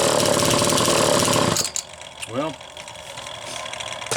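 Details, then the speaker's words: Homelite XL chainsaw with Zama C2S-H5A carburetor, started without throttle: fires and buzzes high and steady for about 1.5 seconds, then dies; clean normal cold start, no flooding. Owner suspects a leaking fuel inlet needle floods it when warm. "because it started just fine for me there and I don't think I've changed the tuning that much"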